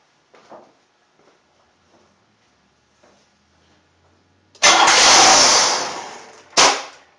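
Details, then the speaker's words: 1994 Buick 3.8 (OBD-1), towed in: starts, revs up and shuts off; flares hard for a couple of seconds then dies. Mass air flow sensor or metering problem first suspected; found to be unmetered air (vacuum leak). "And then when he went out to start it, just starts up, revs up and shuts off. Leaning towards a mass air flow sensor or some kind of metering problem."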